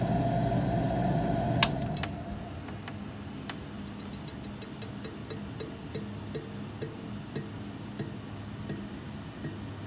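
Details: Duct fan humming low with a steady rhythmic scraping tick, about three to four a second, a grinding noise; the fan also makes noise when switched off.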